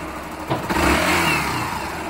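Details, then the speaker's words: Factor 150 single-cylinder motorcycle after replacing a short-circuiting stator: smooth idle with brief blips, sound unchanged when the connector is unplugged; charging 14 V at idle, normal. "você pode vir aqui eu desplugar agora o conector que acabou aquela Faísca que tava dando em curto e o barulho da moto não vai mudar perman o mesmo"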